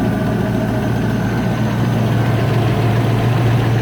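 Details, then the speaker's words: 1994 Range Rover Classic V8 (LPG fitted, mixture thought too lean), now warm: even low idle, cold tappet noise gone quiet; remaining faint tick judged exhaust, likely exhaust manifold gasket. "Right, now, that tappet's gone quiet now."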